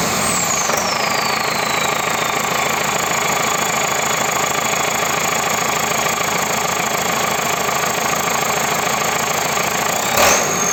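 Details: Perkins 1004 diesel in JCB 4CX, first start after full rebuild (bored block, ground crank, lapped valves, resurfaced head and block, new injection pump): steady idle with even light clatter, no knocks or misses; normal diesel idle.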